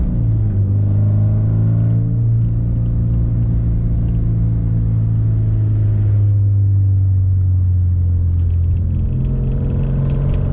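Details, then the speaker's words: 1986 Porsche 944 driving, aftermarket exhaust fitted, engine burns and leaks oil: deep loud droning rumble swelling with revs, raw unmuffled edge from a bad exhaust leak. "exhaust leak is so bad honestly that's the thing that bothers me about this car the most is the exhaust life"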